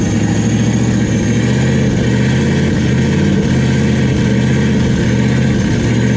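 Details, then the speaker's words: Turbo LS V8 Camaro, first start with rigged oil feed and return, no cold side yet, throttle zip-tied on temporarily: loud, steady, deep rumble at even revs with no knocks or misses; running normally, some smoke from oil spilled on the headers burning off. "so uh oh yeah it's definitely running now still pretty loud when you're wrapping up all right just shut it off"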